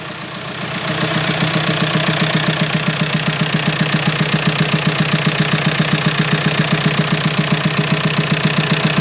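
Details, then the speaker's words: 2007 Skoda Fabia converted from 1.2 three-cylinder petrol to a donor 1.9 PD turbo diesel, first runs with warning lights on and no exhaust fitted: loud, raw, rapid even pulsing with a harsh open bark at idle. "I've got a few warning lights on, but that's not really an issue. Fuel one, unfortunately. There's no exhaust either. So it is now a diesel."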